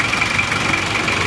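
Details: Isuzu Panther Miyabi diesel after engine overhaul, warm after a 20 km drive, idling with a steady, crisp, even clatter and no misses; engine sounds crisper when hot, almost no smoke, injection pump timing thought to be too far advanced; normal warm idle.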